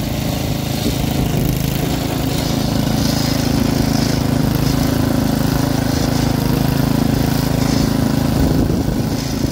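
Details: Troy-Bilt rear-tine rototiller engine after magneto cleaning restored missing spark and carburetor cleaning, after carb adjustment: single-cylinder holds a steady, fast, even beat with no misses or surging; running cleanly.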